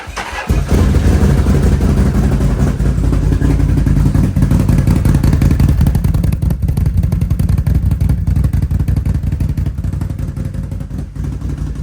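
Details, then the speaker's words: Can-Am or Arctic Cat 7000 Snow Pro, unstarted for at least a month and a half in winter: a short crank, then it catches quickly into a deep, steady idle with throttle blips. Normal cold start. "Started up very good. Little crank, but it was pretty good."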